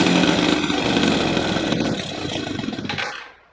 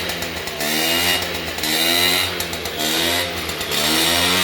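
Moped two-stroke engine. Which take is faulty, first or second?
second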